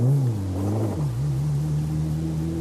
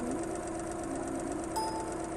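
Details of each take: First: Sound-quality lecture example of a premium family car engine: a smooth, even low hum with no knocks, contrasted with a more powerful-sounding car; normal running. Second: Engine at 1260 rpm, running on all cylinders then one suddenly stops firing: steady note turning to an uneven, stumbling beat; single-cylinder misfire, audible by ear but not visible in the waveform.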